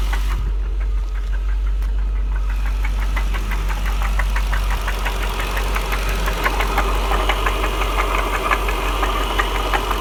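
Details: 1999 Jaguar XJR, secondary tensioners just replaced, overheated on a drive and shut down: now loud steady run with a repeated knock about three per second; owner asks if rod knock, not confirmed.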